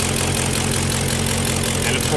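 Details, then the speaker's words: Engine with cylinder 3 misfire, idling after a full bottle each of Seafoam and Rislone: uneven idle with a light, quick ticking over the hum, not from the other bank, not heard through the exhaust; owner suspects bent valve, head to be pulled. "of course it's still misfiring. It becomes more obvious the further away you are. It's not coming from the other bank. You can't really hear it through the exhaust. You can hear the misfire. You can't really hear the tap."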